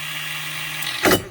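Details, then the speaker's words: Old jet ski (about 1986 X2) after fixing a missed battery wire: starter gives a quick, light free-spinning whir and winds down without turning the engine; the starter bendix is not coming out to engage the flywheel. "that's a starter Bendix not coming out and hitting that flywheel"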